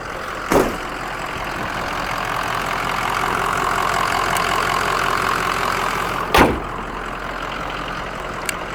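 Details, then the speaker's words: Diesel work truck, standpipes replaced October 2020: a steady, even diesel idle after revving, with no knocks or misses and a couple of door thumps over it; it sounds healthy. "let's do one more that's all i'm gonna do it sounds good though"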